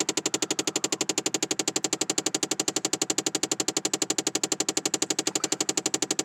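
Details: 2009 Chevrolet Impala: fast, perfectly even train of sharp machine-gun-like clicks that continues every time the door is opened, called a design flaw.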